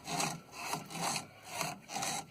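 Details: Electrolux washing machine (LT9/LT80 type) drive belt: a rhythmic rasping chew about twice a second as the belt rubs.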